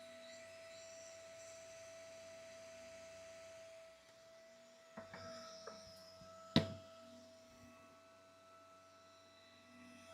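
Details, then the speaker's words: 60 mm 12 V 3 A fan on a Flex power supply (48V/24V/5V) for a Voron 2.4 3D printer, set to 12 V, microphone on chest about 1.5–2 feet away: steady whirring hum, constant tone, no ticking or grinding; normal, not as loud as expected. "honestly it's not as bad as I expected"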